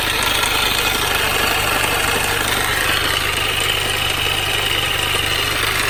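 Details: Mini Cooper R53 engine at idle after replacing timing chain tensioner, timing chain guides and PCV valve: fast, uneven, fairly loud constant metallic rattle over a busy idle; source still undetermined.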